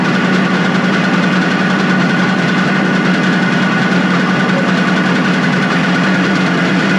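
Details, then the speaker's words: Suzuki two-stroke motorcycle started on choke after a carburetor cleaning, fuel still leaking: even, buzzy idle sitting low and a little uneven, not settling. Owner suspects the throttle/idle adjustment is set too low; not confirmed. "Are you kidding me? I mean, it's basically sitting here at island. I definitely think that the throttle adjustments are definitely too low."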